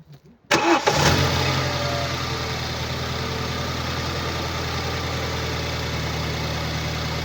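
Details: 2012 BMW 116i E81, N43B20A 2.0 petrol, 122 PS, 119,875 km: engine starts and settles to steady idle with a dull repeating knock about three a second underneath; defective crankshaft connecting rod bearing.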